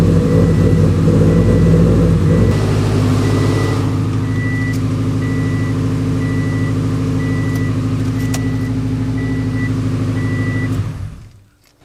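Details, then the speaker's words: Subaru WRX with fully built engine, just retimed after timing jumped (tensioner suspected to have skipped): catches and runs loud and uneven for a few seconds then settles, steady warning chime; rough running at start though timing marks rechecked as correct. "So, when we started it, it was a little rough at start. I don't know why that would be, but I just triple checked timing again."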